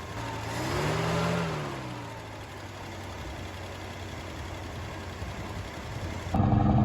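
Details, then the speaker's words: 1972 XA Ford Falcon, off the road 16 years, just started, old oil still in: blips up then drops to a slightly high but steady idle, no popping or missing. Normal idle. "Sit down the back here, it's not popping or missing or carrying on too much. All sounds reasonably happy actually."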